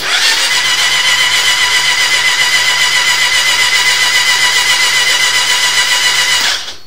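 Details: 2002 Hayabusa, 8k miles, with two new batteries, clutch in: starter grinds slowly about four turns a second for six seconds with no catch; voltage drops to 7-8 V while cranking with plugs in, motor spins freely without plugs.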